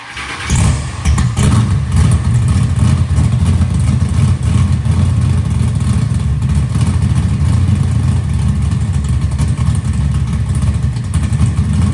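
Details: Big-block Chevy V8 with carburetor during intermediate circuit tuning: revs up and holds a heavy, loud rumble with no misses; a little rich, spitting a little fuel on the rev only, less than before.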